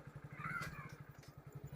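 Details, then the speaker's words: Motorcycle riding after the glazed rear drum was cleaned, engine thumping steadily with no brake squeal left; rear drum brake fixed. "यह बिल्कुल ठीक हो चुका है जरा से भी कोई आवाज नहीं है भाई"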